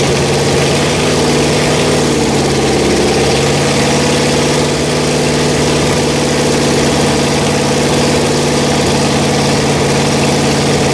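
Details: Rebuilt Pontiac 400 V8 from a 1979 Trans Am on a homemade run stand, second cam break-in after the first flat tappet cam failed: steady fast idle on the fast idle cam, even drone, no lifter tick; breaking in smoothly.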